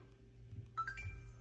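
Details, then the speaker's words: Xbox One plugged in with a replacement power brick after the old one left it only making a faint sound and not turning on. A faint hum, then a short rising chime as the console powers on and boots normally. "And immediately when you plug it in, you'll see this. You'll hear it kind of turning, kind of show that it's on."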